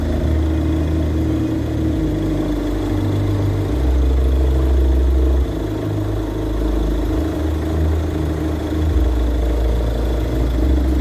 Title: Alternator pulley clutch noise